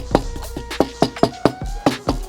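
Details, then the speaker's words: Brand-new 2023 full-size Range Rover rear trim panels of thin plastic: each tap gives a hollow knock followed by a short loose clip rattle, about four taps a second; the panel resonates before sound treatment. "don't know if you could hear all the clips and stuff, right? And then lastly, another panel in the vehicle, same thing. Like, I mean, it's just amazing how much that resonates, you know?"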